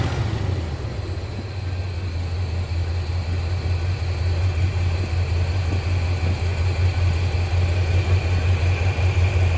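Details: 1987 squarebody Suburban with swapped 454 big-block V8 (SM465/205), new exhaust, engine hot, after a loose plug wire was reseated: deep, steady V8 idle, even low rumble, no misfire stumble or ticking. Normal idle.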